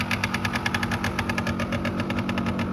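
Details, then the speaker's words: 1989 Yamaha Riva Razz 50cc two-stroke scooter (SH50), off the road since 2011, after a complete tune-up, 2,500 miles, started first kick: quick, even putter at steady idle, no misses or rattles, slight smoke from leftover oil; normal idle. "Started up first kick. The lights work."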